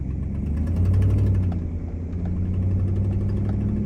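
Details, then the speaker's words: Truck idling after an accident: faint quick ticking over low rumble from an exhaust leak at the rear of the driver-side block where a manifold stud is missing; repair planned. "if you can't hear it does have a pretty gnarly exhaust leak"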